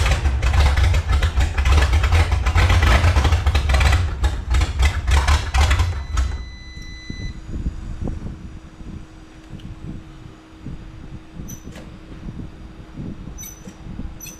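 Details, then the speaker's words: 1954 Chrysler New Yorker 331 Hemi, over 50 years in a salvage yard, fed by about a 5 psi pump with no regulator: loud uneven lumpy firing for six seconds before dying; carburetor pouring fuel, needs tune-up. "Well, it runs, folks. Not real happy. Take this off. Flying all over the place. Pouring fuel."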